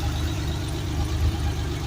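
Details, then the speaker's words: Air-cooled Porsche 911 with Bosch CIS K-Jetronic lambda injection, idle returning after oil cap removed for lean-condition oxygen sensor test: steady, even idle with no misses or hunting; output back to normal. "So for the Bentley manual, that's good. idle changes back again, and our output is back to normal. Same as before."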